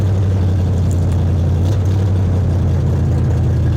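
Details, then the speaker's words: 1972 Chevelle V8, sat five years, revived: smooth deep rumble at steady speed, no ticks or knocks, slight rear drip; alternator 14 volts, oil pressure 50 psi, fuel pressure 6.5 psi. "listen to her she says yeah it's good i like it this is exciting now you can hear the exhaust neck a note without it i like it"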